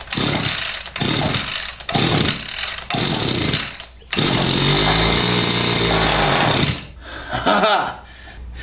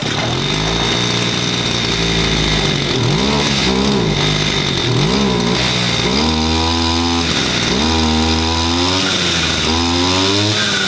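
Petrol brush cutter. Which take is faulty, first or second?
first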